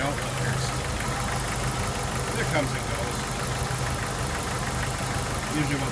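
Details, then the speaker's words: Jeep 2.5 L engine idling while still cool: faint, quick ticking on top of the engine note, gone once warm. Lifter tick suspected, flat lifters possible. "Not too bad. Looks like a sewing machine. Sound of flat lifters or"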